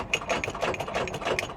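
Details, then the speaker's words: Subaru Outback at auction, jump-start attempt: fast uneven clicking about three a second with no cranking; engine is locked up (seized), possibly freeable. "Come on, old girl. She's locked. Sometimes you can bump it and they'll come back. Not the case with this one."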